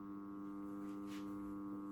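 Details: Magnetic starter (contactor) wired in a start-stop circuit and powering an indicator lamp about seven years old; when energized it works but hums loudly with a steady buzz, cause unknown.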